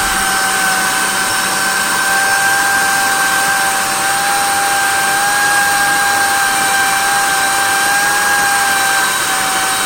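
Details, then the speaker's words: Miele Callisto S5281 vacuum: high steady whine with faint wavering pitch as motor runs and winds down; suspected dry motor bearings, speed variance possibly from carbon brushes, unconfirmed. "all right you hear that wine down so we definitely have dry bearings"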